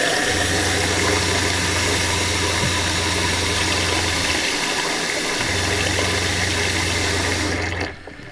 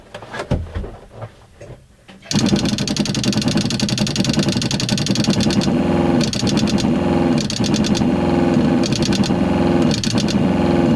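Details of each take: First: RV water pump after installing a Shurflo accumulator tank at about 35 PSI to cure uneven flow and short-cycling; low, even hum under an open faucet, slightly quieter, flow evened, pausing and resuming smoothly: normal pump running. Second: RV water pump under the front bedroom bed, faucet open, no accumulator tank: pump kicks on then pulses on and off about every 1.5 seconds with a rattly hum; short-cycling.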